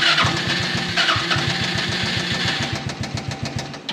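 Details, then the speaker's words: Project buggy engine, cold and unused for two weeks: catches and runs with uneven stumbling firing pulses that settle slightly. Always starts very badly cold, improves when warm; cause not identified. "er springt schon mal an ne aber das hier hat er auch letztes Mal immer gemacht ne der ist im kalten Zustand fingt extrem schlecht an wenn er warmer wird dann wird's besser"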